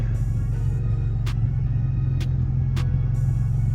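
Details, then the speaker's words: Chrysler 300 3.6 V6 with a Ripp supercharger, at idle on a hot day on the first start after an oil change: a steady, even low rumble with no knocks, misses or squeals; it sounds healthy. "sounds like it's running good though"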